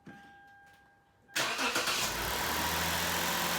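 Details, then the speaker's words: Lexus IS250 after replacing the catalytic converters and exhaust, which had a big leak and an oxygen sensor code; quick crank into a steady, even idle with no exhaust leaks found; normal start and idle. "can hear the car's running then what i usually do before it gets hot is i just give a quick feel make sure that there's no uh exhaust leaks doesn't seem to be any at all"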